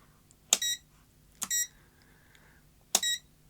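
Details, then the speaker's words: Parkside PDM 300 C3 autoranging digital multimeter: three short shrill bleeps, each an almost two-tone step, as ranges are switched after selecting ohms, the normal but unpleasant range-change beeper. "what do you think of that bleep it's almost two tones isn't it"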